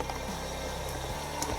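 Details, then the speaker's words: Siemens Serie IQ washing machine on rinse after pump filter and coin trap cleaned: steady low pump hum with water rushing in, no rattles or grinding, no leaks; normal fill. "should fill up. And so long as it's not leaking, it should not be leaking out the front here."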